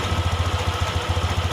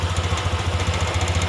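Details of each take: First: Honda Beat eSP injection scooter idling steadily: low even putter, regular firing rhythm, no hunting or surging; idle air adjusted by ear without a scanner; normal idle. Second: Honda Beat ESP injection scooter with the idle air screw opened further: steady, fast, throbbing high idle with an even pulse and no dips, caused by too much air entering the combustion chamber, an air leak.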